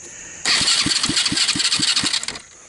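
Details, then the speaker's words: 110cc Chinese single-speed automatic ATV after a hard mud romp that ingested water, grass and dirt with no air cleaner, reported making grinding sounds: harsh metallic grinding over slow cranking thumps, about four a second, never catches; something broken in the starter suspected. "the starter obviously has issues sounds like something's broken in there"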